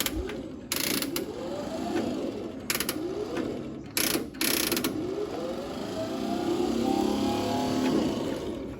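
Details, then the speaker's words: Ford 8N tractor, sat over five years in weeds, battery hooked up in neutral: starter whirs in short bursts with ratchety clatter but engine never turns over; suspected stuck starter bendix. "it sounds like the starter bendix is stuck"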